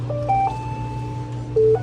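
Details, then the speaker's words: Maytag Bravos XL washer MVWB835DW3 after finishing a cycle: two short tones at different pitches over a steady low hum as the control enters diagnostic mode (1-2-3 button sequence) to check codes. "Let's check the codes. So putting it into diagnostic again is 1, 2, 3, 1, 2, 3, 1, 2, 3."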